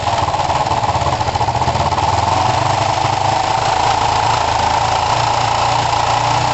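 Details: Kawasaki ER5 twin, warming up after carb float height work, with good spark and new coils: a choppy idle with irregular pops and back spitting, yet the closest it has come to running well. Half throttle is poor; the owner suspects the carbs.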